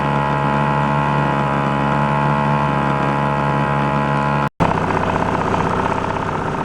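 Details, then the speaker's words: 1949 Atlas Royal 1.5 hp outboard barn find, mixture adjusted and warmed, running on the lake: smooth even two-stroke buzz at steady pitch, no misses or knocks; owner says it runs great for its age. "that was a blast that thing runs great uh very surprised for how old it is how well"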